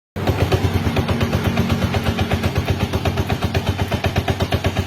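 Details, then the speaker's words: Yamaha Jupiter Z1 injection motorcycle: steady loose knocking about three times a second from the clutch housing under load; bike also creeps forward when shifted into first gear. "jadi suaranya seperti itu teman-teman ketika dikasih beban maka di bagian bak kopling itu terdengar suara klotok-klotok"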